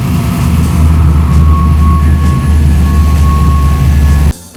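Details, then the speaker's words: Holley 4150 carburetor with four-corner idle, after tuning: a deep, loud roar pulls through hard throttle with no stumble or flat spot. The primaries hand off to the secondaries cleanly, with no secondary bog. "Now, if you listen to that transition, you notice it was smooth. It wasn't like a a hesitation. It went right from the primaries to the secondaries, and the engine continued to accelerate up and ramp up smoothly."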